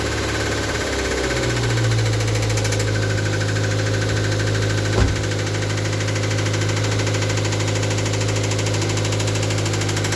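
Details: Toyota MR2 Mk3 petrol engine at idle: low drone with a faint irregular tapping underneath, about two or three per second; engine knocking, cause undetermined.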